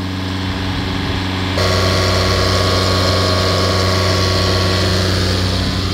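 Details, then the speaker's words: Honda Accord diesel at idle with a recurring DPF blockage; after re-gassing low AC pressure the AC clutch engages and the engine cooling fans switch on, adding an even rushing hum, and forced regeneration starts on its own; normal. "can see the engine fans now are working so you can see there as soon as we increased the pressure of the AC system straight away the force region just activated on its own"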